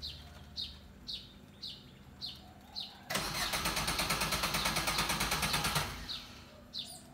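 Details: Suzuki car that always needs long cranking and won't start first time: birds in background, starter churns about three turns a second for nearly three seconds and stops without the engine catching.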